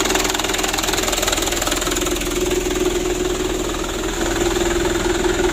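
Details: 2010 Mitsubishi Canter 125 PS diesel after injection pump plunger, timing and governor adjustment: even steady idle with usual light injector clatter, no misses or hunting; engine sounds healthy.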